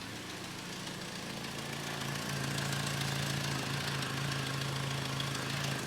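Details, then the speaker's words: 1988 Toyota pickup with swapped turbocharged 2RZ from a 99 Tacoma, manual swap, after drag strip damage: idle with a sharp, hissy puffing tick in step with firing; exhaust leaking at the back of the cracked turbo manifold, probably running rich. "let's see what this thing sounds [Music] like I hear a massive exhaust"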